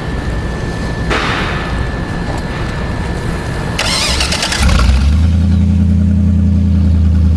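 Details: Marine Power 5.7L MR2 EFI V8 engine package running on an engine stand, with MR2 computer, high and low pressure fuel pumps, alternator and exhaust manifolds: cranks, fires and settles into a smooth, even idle, no knocks or misfires; healthy engine.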